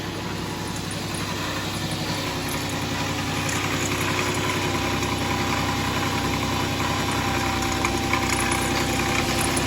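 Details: 2009 Dodge Charger SE 2.7 V6, in for a no-start (timing issue, water and oil mixing), cam sensor removed, idling with a rough gritty rumble and uneven rattle from bad water pump bearings; water dripping underneath, water pump replacement planned.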